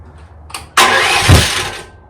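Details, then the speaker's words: 2024 Chinese stand-behind skid steer, about 60 hours, small engine. Short electric crank, then a brief roar that fades. Delayed start; owner unsure if switch or starter, suspects starter. Runs with choke, can be pull-started. "so there it's so it's it's starting I'll just have to choke it and it'll fire right up"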